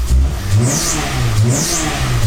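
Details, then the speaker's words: PT Cruiser race car with a new turbo, started with a vacuum line possibly missing; engine revs in short blips with a rising then falling high whistle, clear turbo spool. "now you can hear the new turbo really good yeah"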